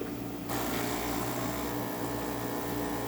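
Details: Saeco Intelia espresso machine after grinder replacement, descale and cleaning, brewing a shot: pump buzzes steadily and evenly without sputtering or straining; normal pump operation.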